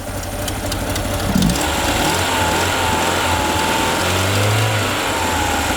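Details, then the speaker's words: Peugeot 205 GTI, original engine, after new starter fitted and idle raised: revs climb, hang briefly and fall back unevenly instead of settling cleanly; owner suspects the throttle-body idle switch isn't signalling idle to the ECU. "et deuxièmement quand j'accélère moteur dont il monte dans les tours et il redescend juste derrière je crois que c'est dû aux boîtier en boîte et qui au bout du papillon"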